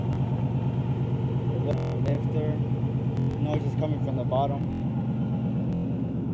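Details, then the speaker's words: 2012 Mustang GT Coyote V8 at idle: a dull, uneven knock from low in the block, about three a second, louder on acceleration; it once stalled at 40 mph. Owner suspects a lifter or rod knock; unconfirmed after two months. "Hey guys, this is a 2012 Mustang GT making a engine knock."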